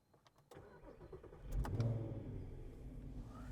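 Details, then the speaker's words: 3.2 litre V6 quattro donor car on a test drive, front suspension done, rear shocks still worn: short crank, clean catch and quick flare settling to a steady even idle; engine sounds healthy. "She sounds so good."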